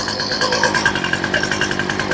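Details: Two-stroke weed eater on full choke and primed just after a new replacement carburetor is fitted, before mixture adjustment: buzzy engine with an uneven, surging pulse rather than a clean steady note; carburetor still needs tuning.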